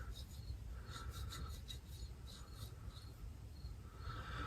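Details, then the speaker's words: Homelite Super XL Auto chainsaw crankshaft bearing, removed and turned by hand: dry, gritty rasp all the way round though it had no play; its races feel covered in tiny pits. "No play at all. Nothing. But it's loud as heck."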